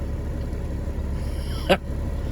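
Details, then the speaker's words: Cat 3406e diesel in a Freightliner FLD after fixing a ticking caused by a loose, backed-off exhaust valve adjustment screw on cylinder 4: even low idle rumble with no valve tick. "So that was my problem. There's no more ticking. It's doing much better now."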